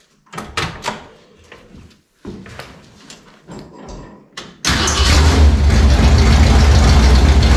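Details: Rebuilt Ford 302 V8 in a 1967 Mustang that had thrown a rod, first start after Trick Flow cam timing corrected, uncapped open headers: a few clunks, catches at once, settles into a loud, steady, even idle; normal start.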